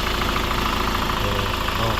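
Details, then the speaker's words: Hyundai Grand Starex diesel with higher diesel consumption and sluggish running, before EGR valve and intake manifold carbon cleaning: steady, even, quiet idle clatter with no faults, no misses or knocks. "Okay naman, tahimik naman. Tapos syempre wala naman tayong fault mga idol."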